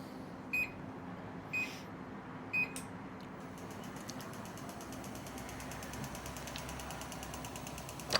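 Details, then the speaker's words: Clicking about once a second with faint fast ticking from a MaxKare 17-inch treadmill about 10 days old, after an hour's use, surface removed; sound from one side, not the belt, owner suspects motor housing. "so it sounds like it's coming out of the motor housing"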